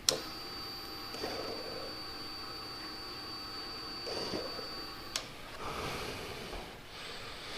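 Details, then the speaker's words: 2009–2014 Yamaha R1, diagnostic mode item 34 (intake funnel servo motor): short quiet electric whirs in separate bursts as the intake runners move up and down; actuator working normally. "34 is the intake funnel servo motor and that is the um they call them the funnels but the runners in this location and that will actuate them and move them up and down"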